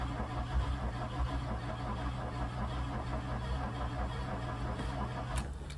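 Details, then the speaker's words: MK2 VW Golf GTI 16v, sitting untouched about six weeks, on a fresh battery with unknown fuel and an immobilizer: low, steady starter churning for several seconds that never catches; cranks but won't start. "Okay, it's turning over at least. No clue if there's any fuel in it or not."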